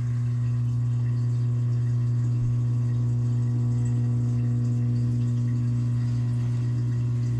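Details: GE GDF520PSF6SS dishwasher drain pump after removing a plastic chunk that caused grinding, cycle cancelled: steady low hum, no rattle or grinding, as water pumps into the garbage disposal; tub empty, running normally.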